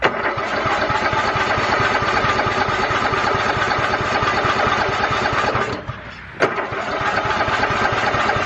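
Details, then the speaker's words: Riding lawnmower not run in years, carburettor cleaned, fresh gas, started on ether before: steady chugging crank, pause, more cranking, never catching; owner suspects the weak battery, though gas reaches the carburettor. Cranks but will not start. "now that battery just ain't got enough in it to do it again"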